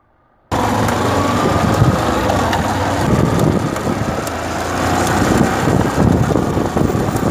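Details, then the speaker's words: Motorcycle rear wheel turning with new sprockets: loud, uneven clattering rattle from a kinked drive chain, often mistaken for a rear bearing; fixed by replacing the chain kit. "peão novinho coroa novinha porém corrente empenada barulhão"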